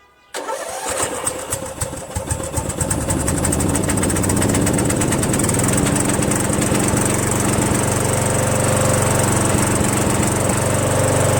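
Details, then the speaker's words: Craftsman 21-inch self-propelled mower, 6.5 hp Tecumseh, after carburetor cleaning: catches at once, smooth even single-cylinder run, no misses or knocks. "right up sounds good"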